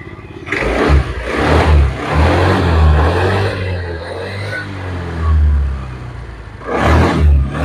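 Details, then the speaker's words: Honda Vario 110 carburettor scooter, revved after replacing the CVT brass boss that caused a clack-clack noise: smooth, even revving with no clacking. Normal CVT operation. "listen, now the engine is very smooth. so there's no clacking clack clack clack sound when you pull it, guys"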